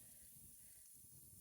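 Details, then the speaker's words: Garden watering spigot on a timer: a steady thin hiss with faint water gurgle and no change in pitch; several spigots do this, and the owner suspects the timer nearing its end. "One of my watering spigots is not doing so good over there. You can hear it making noise. Not sure what's going on."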